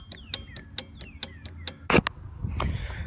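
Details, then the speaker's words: 2009 GMC Sierra 1500 with LED strobes wired through relays into the reverse lights: crisp clicks about four a second in a steady rhythm as the relays switch the strobes; normal relay clicking. "this is an LED you're gonna hear the relays clicking and that's normal"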